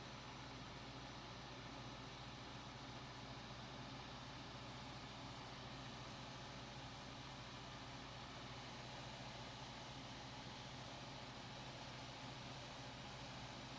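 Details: 1990s Capehart 40-pint dehumidifier after Nu-Brite coil cleaning, compressor starting up and building pressure: steady, even low hum with no knocking or rattling; normal compressor start-up.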